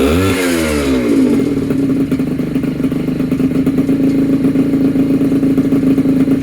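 A quick rev climbs, then drops to a steady buzzing idle with a clear even pitch; the small two-stroke runs smoothly.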